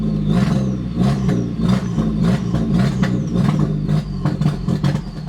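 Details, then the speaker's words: 2000 Audi TT first start after sitting about 7 years, fresh oil change, throttle held open; uneven surging revs and irregular pulses, stalls and cannot idle by itself, suspected from old bad gas. "Alright, so it's having a really hard time idling right now. That's probably because there's a lot of bad gas in there and it just hasn't been starting in a while."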